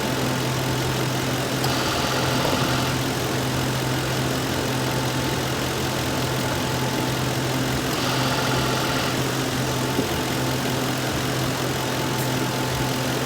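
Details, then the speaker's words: 2006 Lincoln Town Car AC, after stop-leak, while adding a can of Freon at idle: steady idle with a short clutch engage-and-drop about every six seconds, then compressor comes on full time; cycling from low refrigerant, suspected small leak. "I hear the compressor. It just went on full time."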